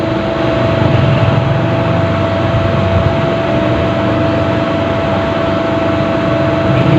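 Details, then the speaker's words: Rewound Al-Shaikh pedestal fan motor, 24-slot, three speeds with capacitor, run on a series test after reconnecting the winding: steady low hum with a constant faint tone, no scraping or rattling. Motor runs normally, OK. "ये चल चुकी है, ये चल चुकी है। ये अब शार्ट भी चेक कर लेते हैं। हमारी मोटर ओके है दोस्तों।"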